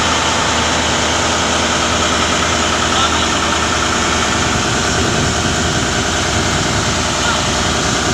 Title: turbo failures due to damage nozzle ring...